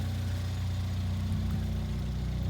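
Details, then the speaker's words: Ford Fiesta ST180 Mk7 idling after a full service with new oil and spark plugs: steady, even low idle with no skips, stumbles or misfire; a healthy engine. "yeah it's a very happy engine"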